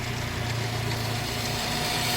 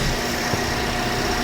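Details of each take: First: Toyota Vios petrol engine idling: a steady rubbing hiss and faint whine from the belt drive, caused by a tilted, misaligned drive belt tensioner, not the alternator or water pump. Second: Toyota Vios petrol engine after belt tensioner fix: idles evenly and quietly with no squeal, rattle or chirp from the belt drive; noise had been from the tensioner, not alternator or water pump.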